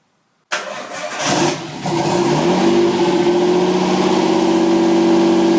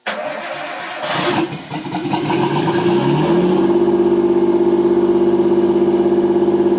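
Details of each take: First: Nissan 240SX S13 RB20DET, second start attempt after reconfiguring the factory harness and jumping the neutral circuit, no mass airflow sensor fitted: short crank, fires right up into a fast, steady high idle, no misfires; no vacuum leaks found, cause unconfirmed. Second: Nissan 240SX S13 with an RB20DET, second start after rewiring the harness; no mass airflow sensor and vacuum lines possibly not all connected. It cranks briefly, fires cleanly and holds a fast, even high idle, smooth with no engine noise.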